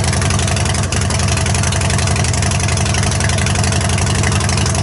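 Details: Harley-Davidson Superlow just fitted with a Screaming Eagle air filter, started outside: loud, steady V-twin idle with an even low thumping beat and some intake roar on top; runs smooth, no misfire or knock, normal idle.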